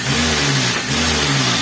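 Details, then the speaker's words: Avanza/Xenia that misfires at 750–1000 rpm idle: revved to about 2000 rpm it holds an even, steady note. The idle misfire is absent at speed; a compression leak is suspected, not confirmed. "Kenapa RPM tingginya biasa ya biasa guys RPM tingginya biasa jadi karena ketika RPM tinggi valve itu akan lebih terpapar lebih cepat terbuka dan tertutup"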